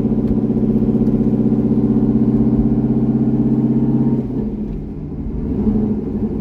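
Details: C6 Corvette V8 with aggressive cam and long-tube headers on a revised HP Tuners idle tune: even, steady burble with a smooth lope, then pulls away cleanly. Normal idle.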